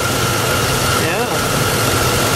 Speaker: But, oh, while we're in here, it's got 343,843K on her, but seems to still run decently, you know, so what the heck for what I paid for her.